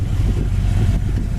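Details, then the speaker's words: 1966 Ford Fairlane 500 hardtop, older restoration, 4-speed, V8 idling; low even rumble with steady beat, no misses or knocks; engine idles cleanly and sounds good. "the V8 engine really sounds good idle"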